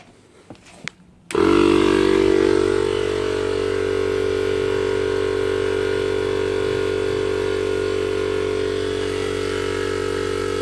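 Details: DIY 12V compressor on an old ~40-litre tank from recycled parts, running off a homemade battery power wall at about 12.4 V (~half kWh): kicks on and settles into steady even chug about four times a second, no knocks or strain; normal running.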